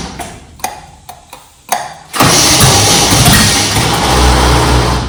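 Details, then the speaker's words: Junkyard-rescued 1969 Chevy C10 small-block V8. Several separate clunks and stalled cranking attempts before it catches and runs rough, a weak starter struggling. The owner suspects the cap and rotor, or maybe the intake; not confirmed. "That starter is horrible."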